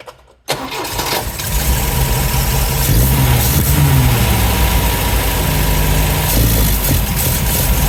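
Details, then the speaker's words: 1971 MGB GT, 18,000 miles: after carbs and dashpots refitted, choke on, engine starts but runs lumpy and uneven, won't stay running or rev up cleanly. "I'm not too worried about the mixture just yet because it's not actually staying running. It won't actually rev up, which I'm very surprised about."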